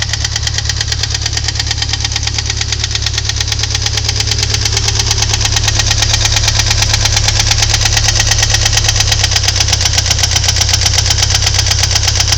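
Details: 2.3 L Ford Thunderbird Turbo Coupe at idle: a sharp, regular tapping about three times a second over the engine note; owner suspects valve knock, not confirmed.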